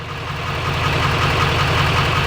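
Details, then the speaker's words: LML Duramax diesel, cold night start, tuned with cold air intake: sharp regular tick about five times a second over the idle; new noise, cause unclear. "so there is a tick it's a new noise it's not a tick that normally happens it sounds terrible I'm terrified"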